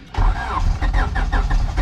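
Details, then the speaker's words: Turbo H2B engine, new Amazon distributor just installed, running off a battery jumper: quick, even starter cranking with heavy low thumps that nearly catch but never pick up into a run; cranks but won't start. "oh why why why won't it start oh my god it's almost"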